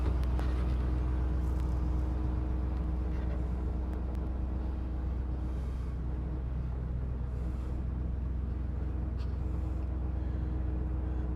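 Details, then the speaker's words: 1986 Chevy K10 pickup V8 after sitting for years, cold, in drive: fast steady idle, slightly high but smooth; owner attributes it to known vacuum leaks and several unplugged vacuum hoses. "seems to be running nice new complaints there a little high but I do know there's vacuum leaks also there's a bunch of hoses that are unplugged so obviously that's going to mess with it"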